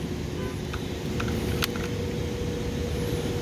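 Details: New package unit not cooling, belt-drive blower checked with the compressor disconnected, drawing 7 amps against a 10-amp rating. A steady low hum with an even whir and no belt squeal or slap: normal blower operation.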